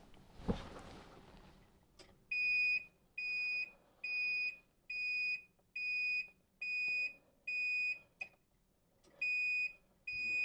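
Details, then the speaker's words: 12 V battery backup sump pump, manually activated: loud high beeps about once a second with no motor running; 12 V and fuse confirmed good, pump failed even wired directly to a good battery. "additional testing indicated that the failure abs end up being in the pump I was able to verify that by be able to make sure that was getting 12 volts out of the unit checking that the fuse was okay and then I eventually tried to directly wire the pump to a good 12 volt battery pump would not kick on"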